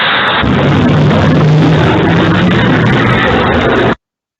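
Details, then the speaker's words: Lithium-ion pack of prismatic cells in a sealed, riveted metal box driven into overcharge: continuous violent crackling and popping roar for four seconds as cells burst and blast caps vent, not immediately igniting; leads to a vapour cloud explosion. "but now we're sending it into overcharge and what you hear are all the the Prismatic cells bursting this is a completely sealed metal box riveted together"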